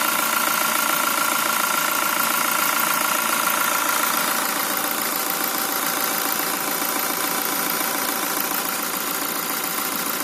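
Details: Toyota Fortuner VRZ engine at idle: steady idle with an even, sharp knock about three to four times a second ("duk duk duk"); cause unknown.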